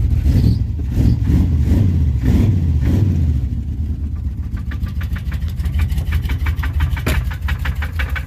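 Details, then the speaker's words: Big-block Chevy V8 swapped into OBS truck, exhaust hung, starting and idling: rough idle with sharp metallic knock about three times a second; owner suspects rod knock, possibly main bearing, rules out lifter, pushrod, rocker; cracked flexplate questioned. "It's not a out of adjustment rocker arm. That is a good old-fashioned rod knocker, possibly a main bearing."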